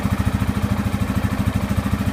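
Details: 2015 Yamaha Grizzly 550 ATV, about 100 miles, about 20 hours, formerly dying in park and hard cranking; after spark plug replacement: steady, even thump about twelve beats a second, no misses or knocks, clean healthy idle.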